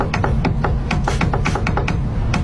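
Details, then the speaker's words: Worn ball joint on a car: sharp, hollow knocks about four or five a second over a low rumble. "bunyi ball join."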